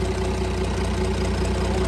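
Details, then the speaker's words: Cummins diesel burnout truck thought blown up, restarted; steady low idle with even, fast light ticking like a sewing machine, described as normal exhaust kick common on these, no other noise: normal idle. "man that's awesome not a noise at all that's that's normal that's common on these that's just the exhaust he's got a little exhaust kick"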